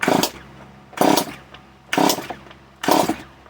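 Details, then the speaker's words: Stihl MS 170 chainsaw: four short rough bursts about a second apart, each dying at once; fires on the pull but won't keep running; owner suspects too much fuel wetting the spark plug. "maybe it's too much gas that i put there maybe that's what it is and the spa po got wet again maybe if i clean it again but it sounds good it looks good it looks promising"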